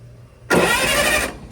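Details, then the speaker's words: 1960 vintage military generator, long sat, first try: a short burst of smooth, even starter whirr under a second, no binding or catching; the engine turns over freely and well, normal cranking. "Oh, it turns over really well, too."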